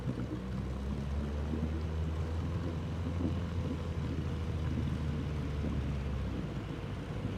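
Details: Outboard on an abandoned jon boat, sat over winter and unknown if it ran, first start attempt in water: steady low two-stroke drone with even, smooth beat, no misses or surging; runs healthy, better than expected.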